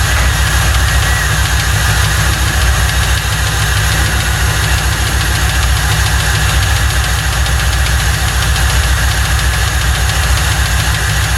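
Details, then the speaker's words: 1995 Lincoln Mark VIII 4.6 4V Ford Modular V8, first start after timing chain set job (received with no oil): loud drone with fast steady tapping knock; sounds like rod knock, needs a new engine. "Sadly, this story doesn't end well. It sounds like it's got a rod tapping in it. She's gonna need a motor."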